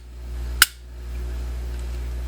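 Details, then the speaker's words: Glock 42 with newly installed McNally trigger: single crisp click with clean snap and no rattle as trigger pulled and reset; click confirms correct installation. "pull the trigger and here rattle if your rattle it enough the chickens will come okay because that's what it sounded like click another chicken"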